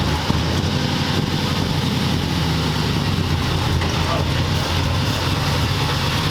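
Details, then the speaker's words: 1940 Ford convertible, barn-find project, engine with exhaust back together, idling: steady soft low mellow burble, no knocks or ticks; sounds as it should, though carburetor thought to need some help. "Nice and mellow. I think that carburetor needs some help. Yeah, it's like nice mellow. I mean, what this car should sound like."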